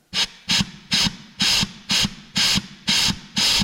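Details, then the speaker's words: Recently rebuilt Turbo 400 for a 1968 AMC Javelin with a junkyard Chevy 454, air check: short sharp air blasts with a dull thump under each; clutch packs applying normally. "okay I hear that one and I hear that one so they all work"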